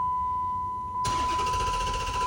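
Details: 2010 Dodge Challenger, crank-no-start; the owner suspected water in the trunk. After tapping a part: a steady chime tone, then the starter cranks evenly without the engine catching. The cause was the fuel pump relay.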